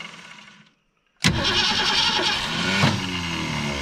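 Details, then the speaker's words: 1984 Ford Thunderbird 5.0 V8, sitting for years, fuel poured into the carburetor top: a brief crank, then it catches and fires roughly. Each time it tries to fire, the starter disengages and jumps out. "every time she goes to fire the old starter jumps out so give it some gas give her some gas"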